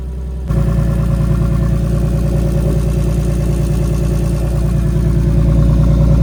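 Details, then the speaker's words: Big-turbo BMW E46 on a new tune, warm, open downpipe with no exhaust; deep, even drone building slowly with revs, with steady chatter over it from a wastegate held on but not tightened. "Also, the waste gauge is not tightened on there. It's held on there, but it's not tight. So, that's making some unnecessary noise."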